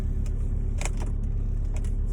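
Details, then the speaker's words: 2003 BMW 325xi (E46), warm, check engine light on: low, lumpy idle around 700 rpm with an uneven pulse, shaking, vibration and body rattle, a drone worsening as rpm drops when warming up; rough idle, cause not yet found. "I'm not really sure what RPM this car's supposed to idle at, but it feels very rough. You could probably hear it through the phone, the shaking and the vibrating."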